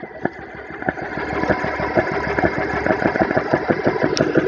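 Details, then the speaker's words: GX CS3 4500 PSI air compressor, test run with bleed valve open, fans on, set for 3,000 PSI: rapid steady pumping about three strokes a second, even and growing louder as pressure climbs; running normally. "So all right, it says to make sure the bleed valve is open, turn it on, fans are on, and we got it set for 3,000. Hit start."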